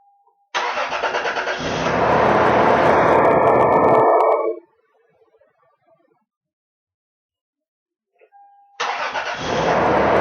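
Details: 1996 Toyota 4Runner after starter repair (solenoid contacts reworked, plunger greased): starter cranks briskly at about four pulses a second, engine catches quickly and runs, normal crank and start.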